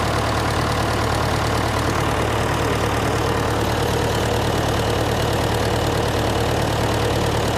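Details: John Deere 401C diesel heavy idle with a lumpy uneven beat and a missing pulse; temperature gauge shows number three cold, number four and the others hot, confirming a dead cylinder from an injector problem.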